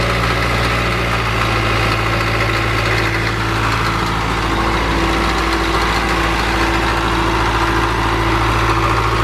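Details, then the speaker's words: 1978 Caterpillar D3 bulldozer diesel with glow plugs, just started: low, steady rumble at an even pace without hunting or misfires; normal idle. "i like to hear these old things run i don't think this machine's been run a lot"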